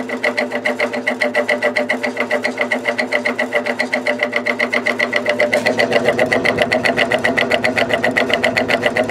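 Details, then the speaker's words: Air King 9218 fan on high speed: loud steady buzzing rattle pulsing about two and a half times a second from the imperfect motor rotor; bearing and felt washers in good shape. "the bearing is in good shape it's just um that imperfect rotor like yeah you cannot use this in a bedroom"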